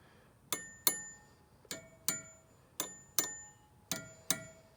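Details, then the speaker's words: Carriage wheel with reused old rubber tire after backing off outside wire tension, wires tapped in pairs; bright metallic tings fading quickly, the two notes now close in pitch, not exactly equal due to worn rubber; even wire tension. "So if you come in and listen again, you can really hear that the tings are a lot more similar, and I'm tone deaf."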